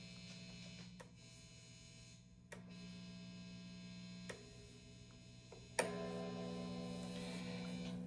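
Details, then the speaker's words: Vintage V6 Icon Strat copy with stock Wilkinson WVS Alnico V single coils into a 1970s Fender Champ at 6.5, flat EQ, no pedals, volume up: constant low mains buzz with handling clicks, 60-cycle hum from poorly shielded wiring; a tech later fixed it. "So there's a buzz going on. My question to you all is, when I change these pickups to custom Fat 60s, will I expect the buzz to go away?"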